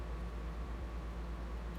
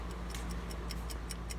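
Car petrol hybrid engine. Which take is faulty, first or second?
second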